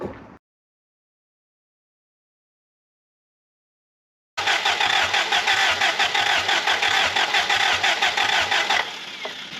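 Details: Willys L-134 engine in a Jeep FC-150 frame that failed on a test drive: after a silent pause the starter cranks evenly about three times a second with no firing, despite spark on all plugs.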